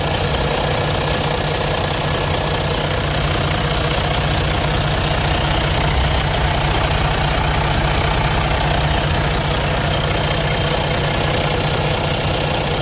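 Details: Detroit DD15 diesel at idle: steady idle with a sharp, fairly regular ticking knock about two or three per second; high-pressure fuel pump noise from a bad pump needing replacement.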